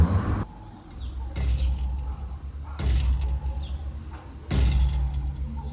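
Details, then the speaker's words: Nissan 350Z VQ35DE with a new DIY budget exhaust: three throttle blips, each followed by a loose rattly buzz as revs fall; owner suspects something loose inside the pipe. "does that not sound like something inside the pipe yeah it does"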